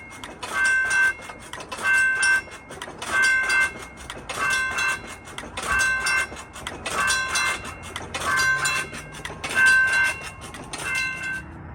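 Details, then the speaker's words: Model 3590 railroad crossing gate mechanism made to oscillate: regular bell-like ringing bursts about every 1.25 seconds as the gate pumps up and down instead of holding; the pumping shifted the SafeTran light on the right side. "After I did this, the SafeTran light on the right side ended up shifting over a little bit, and that will happen especially over a long period of time if a gate is left oscillating or pumping like this."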